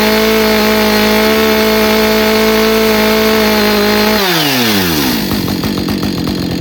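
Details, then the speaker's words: Husqvarna 562XP Autotune chainsaw, successful test run after repair and an autotune firmware update: steady high-pitched two-stroke scream at full revs, about 13,000 rpm with bar and chain and no load, winding down smoothly to a roughly 2700 rpm idle. "Okay, that worked. Okay, we're back in the shop on the bench again after a successful test run and the idle seemed to stabilize at about 2700 and the high-speed topped out. No load with bar and chain at about 13,000 and that's pretty good."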